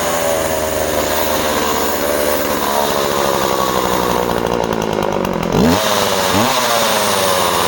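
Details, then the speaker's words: Project chainsaw (Husqvarna 136 or Skil 1644) revving hard through a cut; pitch climbs and wavers at the end. Owner suspects it is leaning out slightly and thinks the carburettor needs going through; the chain is also due a sharpen. "I'm sure the chain could probably do with a sharpen, and you can hear just at the end she sounds like she's just leaning out slightly, doesn't she?"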